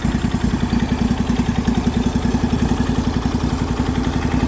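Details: MTD Yardman mower twin on its first start in years, after a valve adjustment, a new starter and with 1–2-year-old fuel: with the plug wire reconnected it chugs at an even, steady beat and both cylinders fire cleanly.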